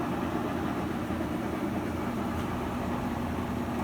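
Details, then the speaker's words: Whirlpool washer after repair (the fault was the rear switch): steady, even drum whir with a smooth low hum and no knocks, spinning normally through the same cycle. "como podemos ver ahí el artículo está centrifugando y así de fácil amigos es cómo podemos reparar nuestra lavadora por qué no exprimir ahí está exprimiendo"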